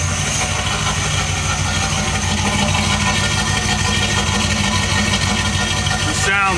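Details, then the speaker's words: 1986 Chevy K20 with 6.0 LS swap, 4L80e, fresh 5W30 synthetic oil, no coolant yet, first fire-up after computer fixed: steady even V8 idle, smooth low rumble, no knocks or misses; normal idle. "now that I figured out that this thing can fire up and it runs on its own"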